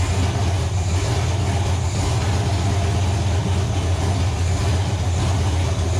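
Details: Nova engine, first start on the stand after six months of troubleshooting: loud, deep, even exhaust drone with a steady note and no misses. Runs cleanly; a gauge suggests a possible wiring issue.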